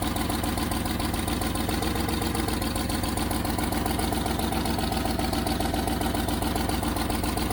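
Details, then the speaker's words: 1989 Range Rover Vogue SE V8 idling after first cold start: sharp, even puffing tick on each firing pulse, quite noisy; blowing exhaust manifold needing fixing. "I'll work out where the exhaust is blowing as well because that's going to obviously need fixing that's quite noisy at the moment"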